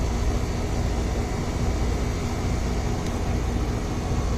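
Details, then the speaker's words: Ameristar 4-ton AC condenser in 106F heat after replacing a failed Genteq capacitor with a Mars 60/5: deep steady drone, no buzzing, rattling or stalling; compressor about 18.3 A, running normally. "Oh yeah, it's making some cold Freon now. Yep, it's already pulling a bunch of heat out of the house."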